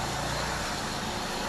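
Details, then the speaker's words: Carbureted car after the idle mixture screw was turned counter-clockwise to fix a rough, hunting idle: the engine idles evenly at about 800 rpm with a steady, smooth, more refined hum and no stumbles. "I can feel and hear that the sound of machine changes it became more refined now"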